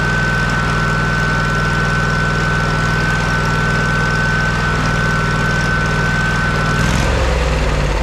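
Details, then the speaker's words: Kohler CH750 twin in a Miller Trailblazer 302 AirPak welder, just after repair including ignition magneto gap setting at flywheel: smooth, even running at steady speed with constant whine over it, no misses or knocks; healthy. "you guys hear that that hasn't sounded that good in Millennium"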